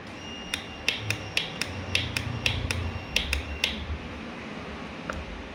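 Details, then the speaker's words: 2011 Kawasaki ER-6F (Ninja 650R) that won't start after sitting a month. With the starter relay refitted and the ignition on, sharp, uneven clicks about twice a second with no cranking or firing; same problem. Cleaning didn't fix the relay; a small loose connection remains. "ഇനി നമുക്ക് ignition on ആക്കാം light കത്തി guys full switch same problem same problem guys"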